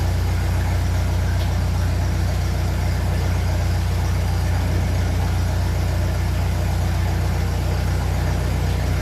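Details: 1957 Ferguson 35 TVO tractor idling on petrol just after starting, before warm-up, with rocker shaft replaced and valve clearances reset after inlet clearances had grown large; deep, steady, even idle with no tapping, quiet valve gear; normal idle.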